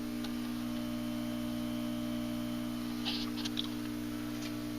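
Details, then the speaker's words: National NC-60 Special AA5 radio on variac at about 62 volts, 0.12 amps, warming up: loud steady low hum with buzzy overtone; suspected filter capacitor problem, no dead short found. "i loud that's probably a filter cap problem as loud as it's humming so let's go a little bit more"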